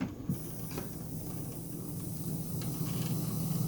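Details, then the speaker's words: Panasonic RX-CW55L boombox, tape deck 1 on play with no tape sound: faint steady low hum with a thin motor whine; owner suspects failed capacitors, unconfirmed. "if I just hit play with nothing you can hear a motor wind so I think some caps in this might have gone bad"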